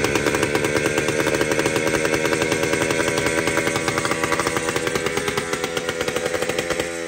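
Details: Jawa 250 type 592 two-stroke, first start after a complete overhaul (rings had been fitted reversed; new piston set): raspy, uneven pulsing and hunting before revs sag, running badly.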